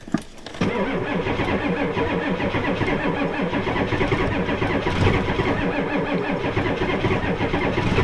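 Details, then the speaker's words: Ford F250 7.3 IDI diesel at 12°F: long labouring crank with uneven dragging compression beats that never catch, even with a jump pack on; the weak batteries can't spin the cold diesel fast enough to start. "come on i think the batter's gonna go dead before i get started"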